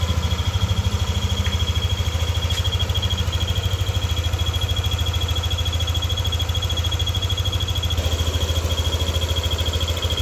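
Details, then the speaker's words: Yamaha NMAX V2 scooter at hot idle: a thin, steady high whistle over the engine's even idle thump, appearing only when the engine is hot and vanishing when revved; cause not found. "So ngayon para siyang pumipito. Yan. Pumipito siya pag mainit na yung makina pero pag ni-red mo, nawawala."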